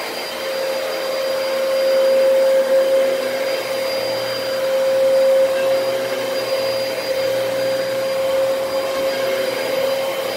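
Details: Dyson DC33 vacuum bought used from Facebook Marketplace, running: steady air rush with a sharp constant high whine from the motor; owner suspects the motor, possibly a dirty HEPA filter, unconfirmed.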